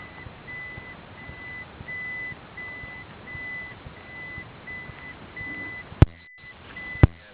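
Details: Toyota Prius hybrid reversing on electric power only, engine silent: even high beeps about once a second over near silence; the reverse warning beeper is working normally.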